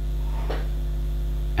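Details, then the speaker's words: PC speakers after the capacitor fix: the loud mains hum is gone, leaving only a minimal, low, steady residual buzz. "here so there's a minimal bus on its till but the other one the main one which is totally loud and annoying he's gone now"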